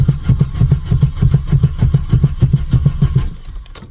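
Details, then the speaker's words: 1997 Volkswagen Vento 1.8 automatic, long non-runner, after vacuum line replacement: steady starter churning about three cranks per second, never catching, then stops; cranks but won't start, cause not yet found. "No, it won't start at all."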